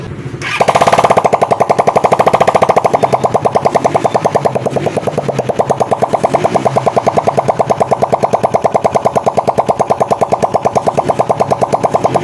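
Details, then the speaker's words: Raider 150 carb single-cylinder after overhaul (connecting rod replaced): fast pulsing idle about two beats per second that swells and sags unevenly; idle hunts because the worn carburettor is untuned, replacement planned. "kasi kalyado 'yung carb at taas baba 'yung kanyang menor at hindi maganda hindi mo sa may tuno at hindi pa rin nakatuno 'yung kanyang carb."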